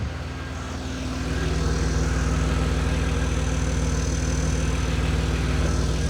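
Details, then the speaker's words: 1994 OBS truck, first start after sitting a week: deep idle with a sharp, regular puffing tick about four times a second riding on the rumble; exhaust leak. "Haven't started in a week. Other than that, exhaust leak."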